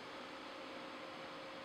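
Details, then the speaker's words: Apple Power Mac G5 driving an IBM T221 4K screen: a constant airy whoosh with no rise or fall from the G5's cooling fan running flat out at top speed. "all right guys it's now connected to the g5 you can hear the fan"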